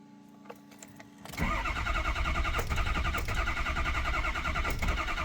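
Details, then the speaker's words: 2003 Ford 6.0 diesel: starter turns the engine over at about three pulses a second, steady and even, odd electrical noises, never runs; builds oil pressure, crank no start. "Ford 6.0 2003 crank no start. Um weird kind of electrical [Music] noises."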